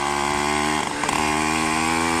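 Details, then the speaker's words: Minarelli two-stroke on a motorized bicycle after dropping to a 115 main jet: revving with a slightly soft, burbling note that falls off on each blip; still fat but less than before, so the next step is a 112 or 110 jet. "All right, so it's still fat. It's not as fat though, you could hear it."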